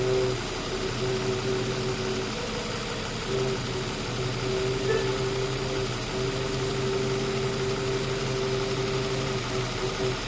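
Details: 2005 Nissan Xterra 4.0 at idle: a steady mid-pitched howl drones on and off from the engine bay over an even-running engine. Cause not identified.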